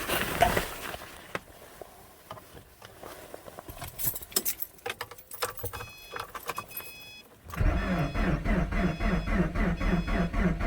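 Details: 2010 Subaru Forester 2.5 with a replacement JDM engine, cold start at −25°C with no codes: the starter cranks at an even, fairly quick rhythm, around 120 rpm, but there is no spark and no start. A new coil did not help; a new starter fixed it.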